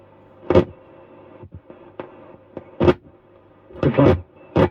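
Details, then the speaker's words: Circa-1946 Pye 15A valve radio warming up on 145 V AC: low, steady mains hum under short bursts of station sound as HT rises; owner doesn't know the noise, filter capacitors suspected, not confirmed. "Put a noise coming out of it. 140 5 V AC in. I don't know what that noise is."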